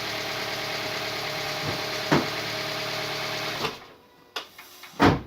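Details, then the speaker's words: Toyota Vitz 2SZ engine after repair of a knock that persisted when hot, freshly filled with coolant and oil: smooth, steady, even idle with no knocking, then switched off. "двигатель работает мягко отличным валуну"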